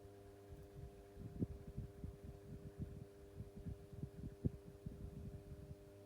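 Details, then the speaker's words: 1990s Pifco 12-inch desk fan, oscillation stopped: quiet steady hum with a faint buzz and soft low throbbing, the motor running smoothly; normal. "even if it is supposed to go that speed which possibly yeah has a nice little buzz to it I've listened to that"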